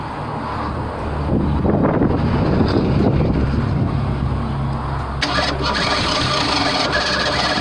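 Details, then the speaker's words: 1987 Ford Bronco II 2.9 that stalled and wouldn't start, after distributor, coil and pickup-coil checks: long, uneven cranking slowly gathering into rough running as it catches; spark plugs so wet from flooding that it's hard to start. "it's crying but because the sparklers are so wet they're hard to start"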